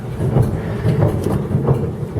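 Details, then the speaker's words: Dutch barge tjalk main two-cylinder diesel, air-started, cold water: slow heavy exhaust thumps evenly about twice a second, no knocks or misses; normal idle, water outlet flowing for each cylinder. "Écoutez-moi ça. Vous voulez voir l'échappement, on le voit mieux là. Ça, c'est vraiment de la musique."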